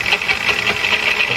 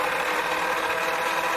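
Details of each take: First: Growling, rasping noise pulsing about five times a second from the lathe while machining a new 5-inch disc for a Gingery mill transmission upgrade; sounds like a gearbox but owner doubts it is gear-related; source not yet found. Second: Lathe that had started screaming, now reassembled after a motor check (brushes fine, clean commutator) and drive belt retensioning: even whine with steady gear and belt tones, then the pitch falls smoothly on coast-down, normal running.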